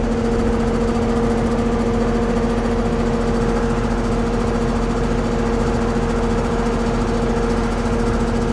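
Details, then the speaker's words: Carrier central AC on a no-cooling call (80°F room, set to 71) at the outdoor condenser: steady hum and fan whir, but the compressor never kicks in. The cause is a swollen, failed 70 run capacitor. "Sounds like we got a fan running. We got a fan running, no compressor. Swole, so we know that's our problem."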